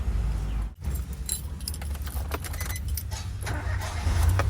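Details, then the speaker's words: 2010 Nissan March, manual, one owner, never run on gas, original untouched engine bay: starts instantly after a short crank and settles into a steady, even, quiet idle with no misses or knocks; healthy start. "ชึ่งเลยนะฮะเครื่องเดินเรียบเดินเงียบเลยนะครับ"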